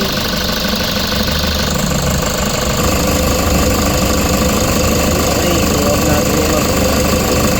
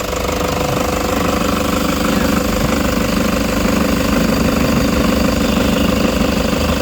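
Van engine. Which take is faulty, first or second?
second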